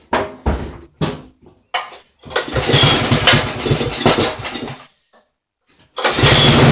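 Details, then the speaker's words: Poulan 900 rototiller, running with no air filter (paper towels as test), oil suspected in carburetor: short pull-start bursts, then ragged surging run that dies and restarts; owner blames wrong air-fuel mixture. "I'm gonna blame the rest of it on the lack of an air filter we just have the wrong air fuel mixture going on right now"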